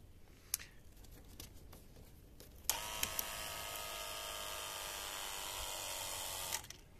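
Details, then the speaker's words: Renault 21 ABS hydraulic electropump charging: click, then a steady high electric whir for about four seconds that cuts off cleanly at the correct pressure; the pressure switch and pump are working normally. "Et voilà, là il est bien en pression, donc moi il s'arrête bien à la bonne pression."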